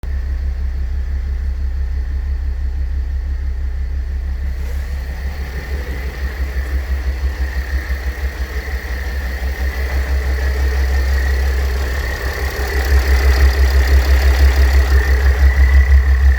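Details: Mercedes W211 OM642 3.0 diesel idling; thin steady high whine over low rumble from worn A/C compressor pulley bearing, fixable by replacing the bearing.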